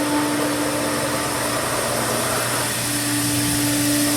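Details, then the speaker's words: Pool filter with new multiport valve, filtration mode after backwash, air relief at top open: steady pump hum under loud even hiss of escaping air; normal filtration with air relief venting. "We're still in filtration mode. Turn it back on. Air relief at the top is still open."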